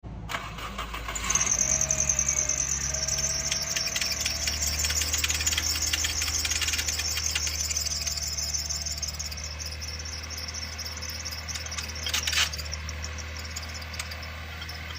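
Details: Engine at idle: steady high squealing chirp for the whole run from the alternator drive belt; belt chirp.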